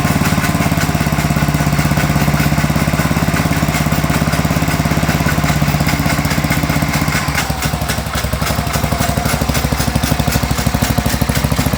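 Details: Sears Suburban 12 vintage lawn tractor, Tecumseh 12hp engine, barn-stored five or six years, first run: steady idle with a rough, fast slapping of about two beats a second at the pulley; the drive belt has chunks torn out and needs replacing.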